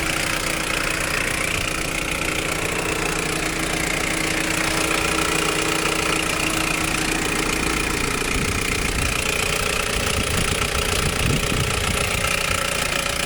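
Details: 1991 Nissan Primera P10, GA16DS carbureted engine: steady idle with a constant metallic rattle at about four knocks a second from inside the engine; timing chain suspected, unconfirmed.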